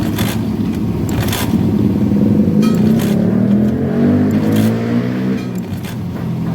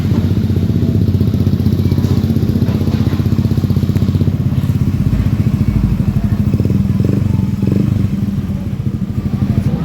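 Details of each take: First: Honda Beat FI that won't start, ignition wired directly and fuel pump humming, kick-start cranking: rough, uneven churning with no firing; no fuel mist from the injector, injector needs replacing. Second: Honda Beat FI scooter after repairing an ECU-to-fuel-pump-relay signal fault and replacing the CKP sensor: steady, even low putter with regular beat, no misses or knocks; engine now starts and idles normally.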